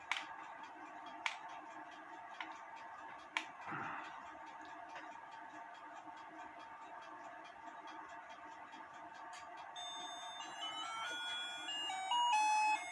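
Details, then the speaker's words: Battery-operated cuckoo clock after soldering its two blue wires to a copper ground piece: faint tinkling melody of high plinking notes over room hiss and handling taps; music plays normally but quietly. "It's not that loud, but at least I got it going."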